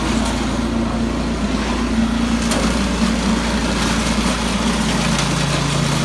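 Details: Yard Machines 22-inch snow blower after carburetor cleaning (gas left in it at least two years; took three pulls to start), choke off at full throttle on test run: high, even buzz holding speed without surging or sputtering; normal running.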